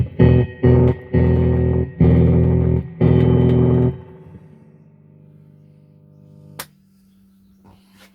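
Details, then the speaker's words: Fender Hot Rod Deluxe guitar amp as it came in for repair, before filter cap and circuit board work: chords sound rough and distorted with a steady low mains hum/buzz lingering after the strings stop; faulty amp. "so here's an app just come in Fender Hot Rod Deluxe and uh it's Hamming quite badly [Music] also sounds rather distorted"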